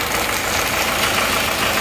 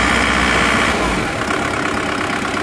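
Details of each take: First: Panther diesel rebuilt after overheating and seizing from a pulley failure, idling after 15 minutes running: clattering with an uneven rattly knock; tested injector nozzles dribble and perform poorly, pump position also affects running; rough idle. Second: Diesel engine after repair, idling after timing moved back to original forward position (retarded timing made starting hard): even, steady clatter, no shaking like before; normal idle.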